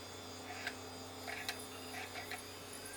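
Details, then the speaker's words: Xbox console optical drive trying to read a Championship Bowling disc: faint irregular clicks and whirs about once a second as the laser runs back and forth; the drive is laboring and weak, and a drive swap is planned. "i said i can hear the drive labor and the laser running back and forth"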